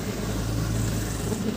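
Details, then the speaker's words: 2004 Toyota Avanza 1.3 G manual, about 20 years old: engine catches immediately on start and settles into an even, low idle hum with no misses or knocks; normal start and idle, engine healthy. "Oke, langsung jering ya nyala."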